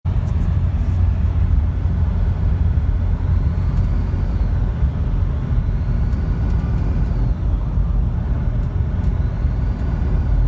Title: Nissan Patrol Y61 TD42T whistling noise while accelerating